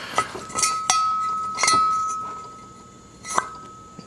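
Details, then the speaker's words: Harley Shovelhead cylinder head on bench during teardown, valve rocked sideways in guide: intakes rock solid, but exhaust valve gives sharp metallic pops and clinks; worn exhaust valve guide, likely needs replacement. "So intakes are good, but you can hear that pop, right? Comparatively worn out valve"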